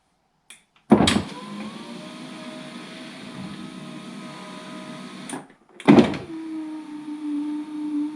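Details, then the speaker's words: 2004 VW T5 Kombi passenger electric window after temporary regulator repair, reassembled: motor whine at a low steady pitch about four seconds each way, glass moving very slowly; slow power window, proper kit still needed. "but we are back together it goes up and down very very slowly but that is enough for now cuz that means I can put it outside and not get water in it"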